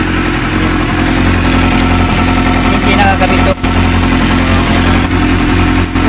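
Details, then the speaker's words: Yamaha YZF600 after adjusting the carburetor air screw, which had been running too lean and misfiring on cylinder number three; fuel sending unit sensor disconnected: steady, even idle with no misses or stumbles. "Pantay na ang ang andar. Hindi katulad kanina."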